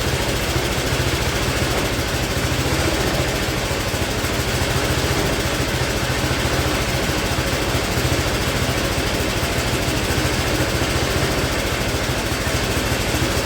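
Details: Speedex model 1630 garden tractor single-cylinder engine with new carburetor, reused old head gasket, running and moving first time in years: loud uneven thumping about three beats a second with a ragged, rattly edge; running rough, cause unconfirmed.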